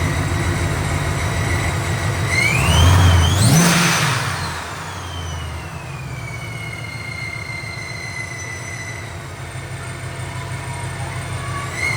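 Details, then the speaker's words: Supercharged engine with its ESS G3r supercharger back from ESS after being sent in over a questioned clanking noise, revved after a long drive: the supercharger whine rises and falls with the revs and no clanking is heard. Normal. "as you can already hear, there's no clanking noises, so I'm very, very happy."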